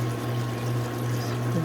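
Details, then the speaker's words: Frigidaire GLWS1749AS5 top-load washer after quick fix of squeaking upper transmission bearing (oiled instead of new transmission): drum winds into spin cycle with steady low hum rising slightly, no squeak or grinding; normal spin. "I'll let this run for a while let it rinse out fill it back up make sure everything looking good all right start to spin cycle"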